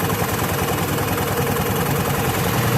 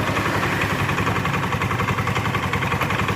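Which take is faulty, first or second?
second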